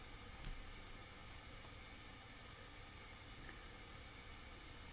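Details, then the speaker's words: Mac computer cooling fan running hard during KiCAD work: steady airy rush with low hum underneath, no rattles or surges; sounds like it's going to take off, loud cooling fan. "it sounds like my mac's going to take off"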